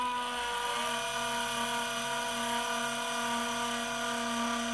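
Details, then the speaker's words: CGX telescope mount declination motor squeaking in one direction only: a steady high squeal over the motor hum when driven this way, while the reverse direction sounds normal; cause unknown, owner unsure which adjustment screws to try. "go back here sounds perfectly normal just the motor noise but going in this direction I've got an obvious squeak"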